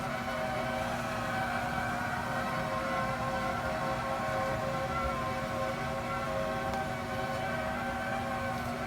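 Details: New Raypak pool heater, installed a couple of weeks ago: steady wavering howl at constant pitch over the running heater; abnormal howling noise, cause unknown.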